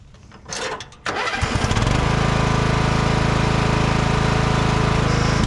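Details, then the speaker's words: Craftsman riding mower after its clogged muffler and rats nest were cleared: cranks briefly, catches and settles into a steady, even, low putter with no misses or knocks. It runs and drives normally. "Well, there you go. Runs and drives."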